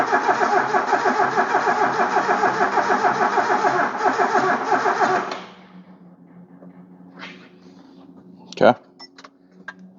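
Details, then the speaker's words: KE20 Toyota Corolla left sitting since the early 90s, on a swapped battery: the starter turns the engine slowly, about three labouring strokes a second for five seconds, without catching. It is drawing a lot of amps and a bad connection is suspected. "Drawing a lot of amps. Oh, hang on. That connection's not very good."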